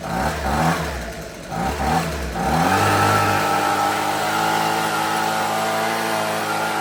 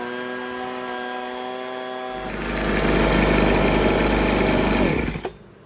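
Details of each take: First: Husqvarna 125B two-stroke handheld leaf blower, sat for years with fuel, purge bulb blown, now running on fresh fuel, primed, no air filter. Fires and revs raggedly, sagging and falling on its face when throttled. Owner may open the low-speed screw a touch. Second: Husqvarna 125B two-stroke leaf blower after repair and high-speed carburettor adjustment, no air filter yet, blowing leaves. Steady whine rises to a smooth, full roar at throttle without stumbling or surging before shutting off; runs healthy.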